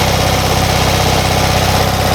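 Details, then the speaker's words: Classic Fiat 500 just started after sitting, fully choked, mixture running slightly lean: fast, even low chugging with a steady beat and no misses; a normal, not-too-fast idle. "Doesn't sound like it's idling too fast, but we'll swing around the back and have a little look."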